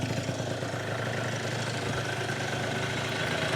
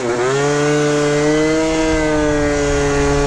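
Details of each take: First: Yamaha Zuma (Minarelli vertical) two-stroke freshly rebuilt with new Polini Evolution 70cc cylinder kit, second warm-up fire-up: steady, even idle with no knocking or clanking from bottom end though crank had extra side-to-side play; sounds healthy, normal idle. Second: Yamaha Zuma two-stroke with new Polini Evolution 70cc cylinder, about 30 miles into break-in, full-throttle road run: high buzz climbs quickly then holds flat pitch near 56 mph below 11k rpm; tune off, revs limited by gearing, bottom end a little soggy.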